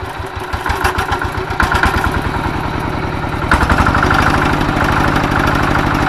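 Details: Single-cylinder diesel tractor that had been smoky, weak and hard to start in the morning, after its worn plunger was replaced: steady, firm chugging about four beats a second at low throttle. Runs clean and healthy after repair.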